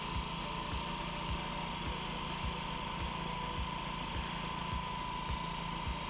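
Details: Honda Ruckus scooter single-cylinder with replacement carburetor, idle screw just turned, right after a cold start before warm-up: buzzing at a raised idle with a steady whine on top; fast idle after cold start.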